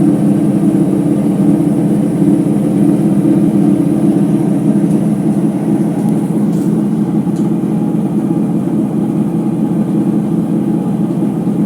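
Loud steady roar with a hard droning rumble that holds as the drum stays at top spin, typical of worn drum bearings.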